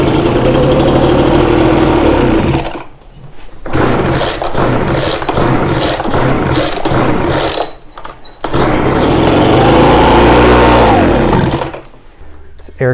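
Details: Ryobi BR42 backpack blower, sat one to two years, carburetor fuel lines swapped, pushing fuel back through the filter. Engine catches, revs briefly, then sags and dies twice before refiring. Fuel starvation from reversed fuel lines.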